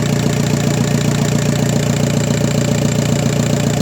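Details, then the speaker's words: VW Passat B5 FL 1.9 TDI 130 hp automatic, misfire on cylinder 4 and hard morning starts; after replacing unit-injector seals only, steady even diesel idle clatter, about 2.5 beats per second, no misses; injector corrections near zero; normal idle. "Kóra chodzi równo, korekty wiadomo. dążą do zera."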